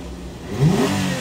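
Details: Toyota Camry 3.5, revived after a year by replacing ECU, smart key and steering lock: idle then a quick blip, revs rise smoothly and fall back evenly without stumble; normal throttle response.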